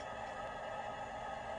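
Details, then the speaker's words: Tesla Model 3 Long Range after fast charging: loud, steady whir with a few fixed tones from the battery cooling system running hard, which is normal. "I'll wait for the battery to cool down because it's just making lots of noise. I have to say, this car is noisy."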